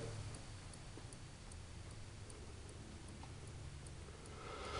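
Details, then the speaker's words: GE Profile refrigerator, after prior defrost failures and freeze-ups, now with complete power failure: steady light relay clicking about two and a half per second while an HRS light shows; faulty main control board, replaced with WR55X10942. "and then finally now we have a complete power failure here click-click click-click click-click click-click"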